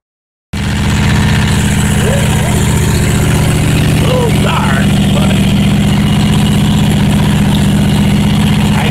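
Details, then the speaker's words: Dingo 220 skid steer loader engine after rewiring and tune-up: it catches and settles into a steady, even run at about four pulses a second with no miss or knock, running normally. "guess you can hear it running. Spent a little time on finally tuning up everything."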